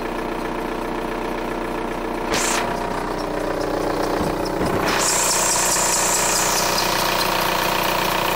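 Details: VW Golf 4 TDI diesel at idle: steady clatter with a regular tick about three times a second over a hiss; abnormal idle noise, owner unsure of cause.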